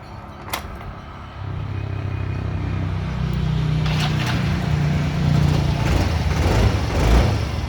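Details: Yamaha Grand Filano scooter with hard morning starting, after valve clearance adjustment: it cranks, catches and settles into a steady, even idle with no valve ticking or tapping.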